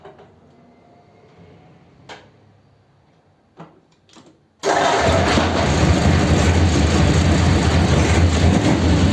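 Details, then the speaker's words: 286 cu in flathead (3-3/8" bore, 4" stroke) race car, first start with a distributor taken from a truck: catches and settles into a steady, even fast idle with no misses or knocks. Normal fast idle. "that sounds a bit more like it fast idle get the oil splashing about inside"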